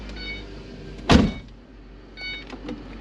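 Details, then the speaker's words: 2013 Ford Transit Connect, 122,061 miles, before repair: power steering return hose chafed through by rubbing on an AC line, leaking fluid; right after startup a high strained whine rises and falls over idle, no power steering; pump whining from low fluid. "yeah I hear that pump yelling at us no power steering"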